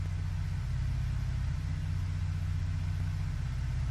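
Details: Ford engine after refitting a factory Ford ignition coil in place of an aftermarket coil, cylinder 4 now good on live data: a steady, even low idle hum with no stumble or skip, firing cleanly.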